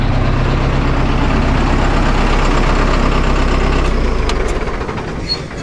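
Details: Vermeer 1800 diesel wood chipper bought at auction, first start in four years, testing feed reverse: deep, steady diesel rumble holding an even beat, then easing down, no knocking or misfire; healthy running.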